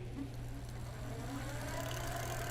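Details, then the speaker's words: Magnum Navigator e-bike on a stand, battery at 80–85%, pedal assist level 4: steady low hum with a faint motor whine while pedalling. The assist engages smoothly with no grinding or clicking; normal motor run. "It's audible, you can hear the power assist works perfect, no problems."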